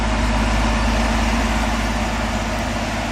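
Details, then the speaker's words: 1965 Ford Econoline pickup after replacing the slipping clutch, running in gear with a little choke and RPM held up: even, steady engine and driveline drone with no knocks, slipping or grinding; runs normally. "Give it a little bit of choke. Keep the RPMs up. Seems fine to me."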